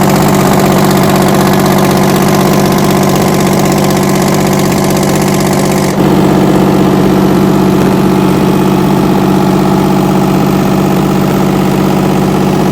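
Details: 60-year-old US-imported Massey Ferguson 98 tractor with factory Detroit Diesel GM 3-71 two-stroke, after significant restoration: steady, even beat at about four pulses a second, no knocks or misses; normal running.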